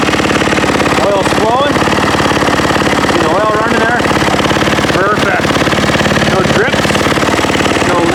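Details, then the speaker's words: Yamaha YZ450F (2010/2012 stated) first start after top-end rebuild and cam timing setup: single fires crisply and evenly into a steady idle with clean throttle blips; healthy and strong. "three oh that sounded really nice yeah let's try this again very nice oh yeah oh that sounds nice oh baby i like oh yeah"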